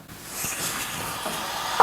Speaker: that is water traveling back into the radiator